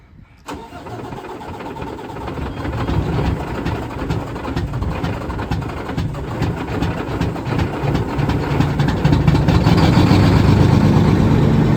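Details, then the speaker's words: Mack MP8 diesel with turbo, first start after a long, troublesome repair: the starter catches within half a second, then a deep, even beat settles into a steady idle that builds slightly; healthy start. "oh yeah yeah yeah I forgot about that D that sounds awesome this thing sounds really good actually"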